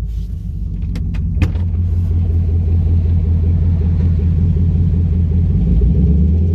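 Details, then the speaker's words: Chevrolet Camaro with Service StabiliTrak message and codes P0174, P0202, P0302 (injector 2 open circuit, cylinder 2 misfire): rough idle with slight knock, deep rumble with uneven machine-gun-like stumbling beat rather than a smooth rise. "and if you notice it's not a consistent uh you know it doesn't gradually go up it actually kind of like you know it kind of goes like a like a bit of a what's that word like a machine gun kind of thing it doesn't it doesn't really sound normal you know"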